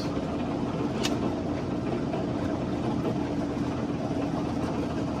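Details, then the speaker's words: 2003 Hunter 306 sailboat's diesel running in forward gear under way at about 2000 rpm: an even, steady drone, not terribly loud, no rattles (lids rattled at 1500 rpm). Engine is due for an oil change, impeller and injectors. Normal diesel running. "is right about there and it's not terribly loud or uncomfortable"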